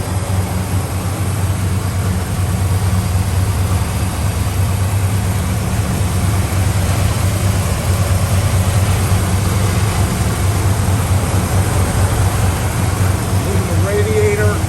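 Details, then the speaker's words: 1964 Chevelle Malibu, 350 V8 with 4-speed manual: a deep, even idle holding steady with no knocks, misses or ticking. Alternator, belts and hoses are good, and it runs well. "Alternator's good, all your belts and hoses are good. Runs good."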